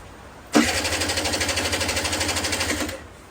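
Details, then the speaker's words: 1999 RS50 with dead battery, hard start and no idle: one kick spins the engine about two seconds with rapid even pulses that fade, never fires; fuel reaches carb, cause a missing carburetor idle screw. "yeah she don't want to start so what do you do you start checking things"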